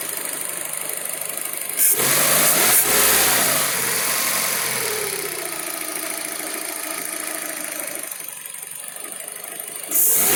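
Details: Fiat Panda 1.2 (60 cv) with unstable idle: uneven, stumbling idle with an irregular beat and hissy background from a misfire on cylinders 1 and 4.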